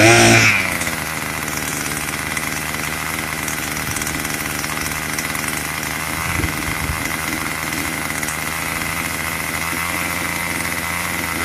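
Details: Craftsman 25cc two-stroke string trimmer, found roadside and would only fire on starter fluid, after a carburetor tune: steady high buzz holding even speed, no surging or stumbling; running normally.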